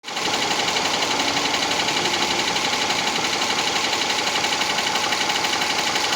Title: subaru legacy 2.5 sohc ticking noise